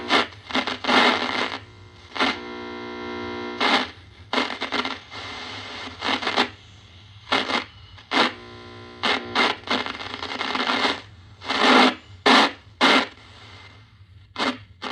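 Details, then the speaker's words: 1940 Admiral 15-D5 AA5 tube radio: bursts of crackle and scratch between stations as the dial turns; the tuning capacitor plates are suspected to be rubbing, possibly bent. "Sounds like the things might be, the banana slicer tuner might be rubbing there."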